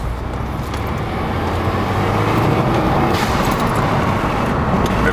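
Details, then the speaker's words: 2015+ Subaru WRX stage 1 with cheap eBay dual-port blow-off valve replacing factory BOV: engine under load, then loud airy venting hiss on throttle close; car also stalls, owner suspects the BOV spring can't hold 20 psi boost. "blows off really loud though. It sounds awesome."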